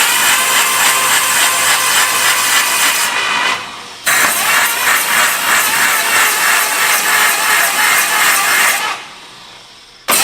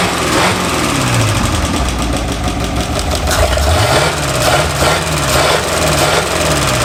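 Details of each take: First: 1951/52 Buick Super abandoned 40+ years, first start attempt on brake clean after oiling distributor: starter cranking about three beats a second with hollow uneven compression rhythm; owners suspect a couple of intake valves stuck open, not sealing. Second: 1951/52 Buick Super straight-eight, abandoned for 40+ years, idling on restart: it settles into an even, steady idle with all eight cylinders firing and no miss or stumble.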